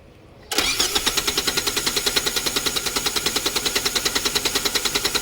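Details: Hard-starting car with no fault codes, fuel pressure checked with a gauge: the starter cranks with fast, even pulses for five seconds without firing.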